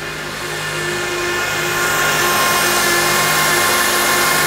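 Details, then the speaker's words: Honda after power steering fluid change, engine running: steady high whine that doesn't ease, pump drawing air; leaving it off 5–10 minutes let air bubble out and the noise stopped on restart. "Now you may have an issue with air for a little bit. What I did with this was I just left it off for about 5–10 minutes. The air bubbled its way out of the system."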